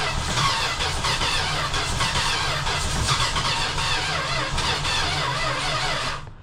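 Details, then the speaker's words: Classic six-cylinder project car, after starting fluid sprayed into the carburetor, with apparently no exhaust fitted: loud ragged cranking with uneven coughs and a squeal; owner suspects it's firing on about two cylinders. "It is really trying. Same thing. So, it's like probably trying to fire on like two cylinders."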